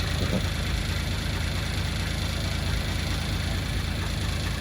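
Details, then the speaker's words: 1989 Toyota Land Cruiser HJ60 diesel, fixed after a crank-no-start blamed on air in the fuel line from running the tank low: steady, even diesel clatter at idle with no misses or hunting; it runs strong. "but the output the outcome and the punch line is back baby he's back running and running strong"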